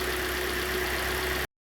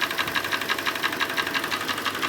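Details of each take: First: Hyundai i40 G4NA, only 60,000 km, knocking engine after winter, recent oil change, scored cylinders, heard from outside: quiet, even idle hum with faint steady whine, no knocking or ticking; runs quietly and evenly. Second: Hyundai i40 G4NA petrol engine at 60,000 km idling in sub-zero winter: a sharp, even knock about six times a second; piston slap from a scuffed piston, loudest at cylinder one, and it started soon after a recent oil change.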